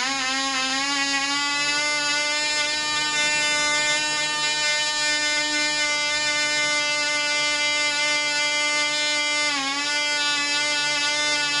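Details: Black Widow mouse racer second run after loose screws found, 24% nitromethane fuel, 5x3 prop, high-compression head: loud steady high-pitched scream with one brief dip, about twice as loud with prop wind audible; running strong and clean.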